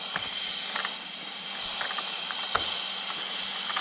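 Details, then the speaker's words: Craftsman 220V 6 hp 33-gallon twin-cylinder oil-free air compressor, tank at 90 PSI, regulated side 90 PSI: constant sharp hiss of escaping air, not from fittings; air leak in regulator causing constant cycling. "And you can hear that it's leaking. It's got 90 PSI in it right now, and it's got 90 PSI on the regulated side."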